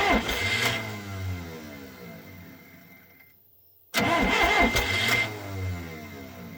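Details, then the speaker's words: 440 skidder diesel after owner rebuilt the injection pump, injectors not bled: starter cranks in steady chugging pulses without catching, diesel smell; cranks but won't start, owner suspects air in lines, possibly timing off or a backwards check valve. "So I never bled the injectors, so that's, you know, probably a lot of air in it. But I smell diesel."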